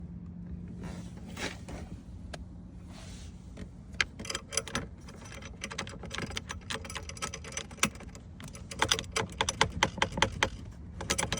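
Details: Toyota Camry dashboard rattling while driving: irregular sharp plastic clicks and ticks over low road rumble from a loose dash.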